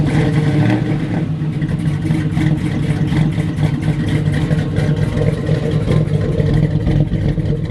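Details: Buick Regal just after a new fuel pump was installed (the old pump was much louder): loud, firm running as the engine is revved up and down, with no stumbling or cutting out. Fuel delivery sounds healthy; the engine runs normally.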